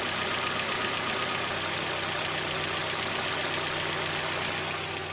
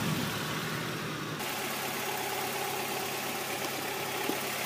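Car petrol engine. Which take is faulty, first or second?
first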